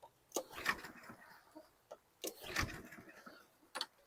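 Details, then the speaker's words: 2016 Husqvarna LC 221AH AWD mower, 725EXI 163cc engine, water on the plug, carb cleaner in the intake: three short rope pulls, each a rattling whirr, and it never catches. Cranks but won't start; suspected waterlogged, needing a carb clean and cylinder airing. "it just might be really water logged it's going to need a carb clean and air out the cylinder probably"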